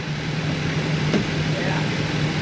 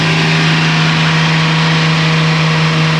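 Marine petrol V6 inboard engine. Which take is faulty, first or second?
first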